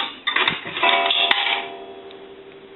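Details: Automatic Electric three-slot payphone after repair and conversion, coin validator checked: a quarter drops and a single bright gong strike rings out and fades over about a second, the proper one-gong signal.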